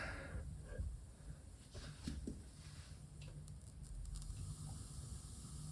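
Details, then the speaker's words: Defective Tascam LM-8ST mixer, left channel ST1, XLR to an Adam Audio A7X monitor: irregular crackles and pops over a low hum when the volume is moved, regardless of cable or speaker; cause not confirmed. "There is clearly cracking noise, popping noise in the speaker. Actually, one small movement and you can hear that."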